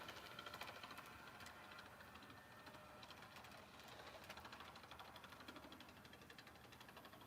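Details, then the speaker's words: HO-scale model locomotive: quick, uneven thumping about three beats a second as the small motor runs, from a worn drive gear. The owner plans to order a replacement gear. "I think I'm going to have to order a new uh gear for this thing you just hear it thumping"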